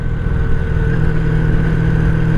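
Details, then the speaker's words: 1983 Honda Sabre VF750S V4 motorcycle at steady idle with a light, quick valve tap over the rumble; the tap lessens once warmed up but is still faintly audible, and valve adjustment may be needed. "but the valve tap does go away once it's warmed up I still hear it a little bit but it's not nearly as bad"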